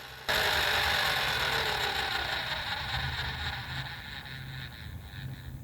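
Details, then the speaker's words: 1979 Mercedes 300SD (W116) climate control servo parking after car switched off: steady motor whir starting abruptly and fading over several seconds with a faint low pulse; servo parks normally. "And now I've turned the car off and the servo is parking. And there you go, it's parked."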